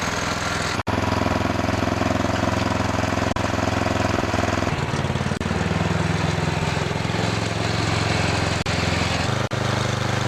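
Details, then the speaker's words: Murray Noma Craftsman snowblower after friction disc replacement, tested outdoors in snow: the small single-cylinder engine runs steady, pulls down slightly while the blower is held so the wheels spin, then recovers. The friction wheel drive is working properly. "so the drive works really good now what I was doing there is testing just how good the drive is by holding the blower and making the wheel spin if they spin then I know that the friction wheel system is working perfectly"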